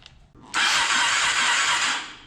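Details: Honda TRX450ER after rebuild, on battery, cranked from the handlebar start with the key on and neutral: a brisk, even two-second starter whirr with no dragging or clicking; starter cranking healthily.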